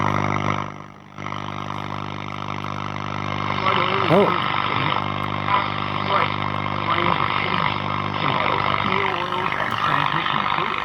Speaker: Don't know whether we have an oscillator or not. I can't hear the stations.